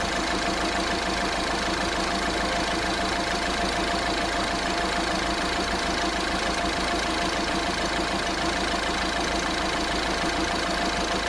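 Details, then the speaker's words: Diesel engine at idle with a thin, constant whine and light rattle; tensioners and pulleys are usually left in when the timing chain is changed, and the pulleys proved to be the fault. "وهذا الصوت اللي عنده انا موجود بصفه عامه تلقاها موجود يعني شدادات وكذا احنا ما غيرهمش الا وقت يعملوا صوت"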